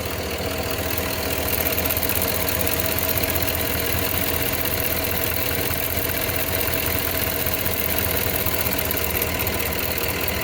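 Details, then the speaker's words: Cadillac Escalade Hybrid with Vortec 6.0 at idle: fast, light ticking at engine speed that seems to come only from the driver's side bank and comes and goes. Owner wonders if it is the injectors; unconfirmed. "Are those injectors or what? I hear them coming only from the driver's side bank. They like come and go."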